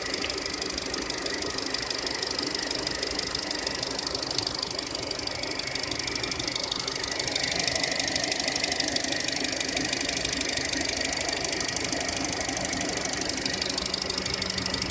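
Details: 2014 SsangYong Korando, G20D petrol engine, 33,000 km, timing chain replaced under warranty: steady quick ticking around three per second; an oil change didn't help, owner suspects hydraulic lifters.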